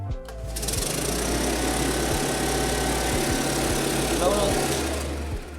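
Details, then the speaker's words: Two-stroke leaf blower during a maintenance check, spark plug found clean and recoil starter fine, run to listen for suspicious noises: it revs evenly with a steady fan rush and no knocks or scraping, normal running. "on a bien entendu que l'él fonctionnait comme il faut tout comme le taille e"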